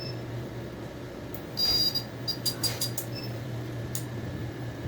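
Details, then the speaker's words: Small computer/no-break cooling fan after cleaning, reinstalled in its housing and screwed down: soft smooth hum with no rattle or scrape, just a few handling clicks; the earlier loud noise is gone and the fan runs quietly. "novamente não fez mais barulho ficou zero recuperado e cliente satisfeito e com audição preservada"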